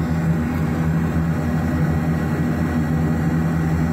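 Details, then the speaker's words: AAON rooftop HVAC unit gas burner with two electric spark igniters; deep uneven rumbling roar with throbbing drone after lighting, flames seem to need more gas or more air, rough burner combustion noise. "So that doesn't sound right though. Kind of sounds like those flames need"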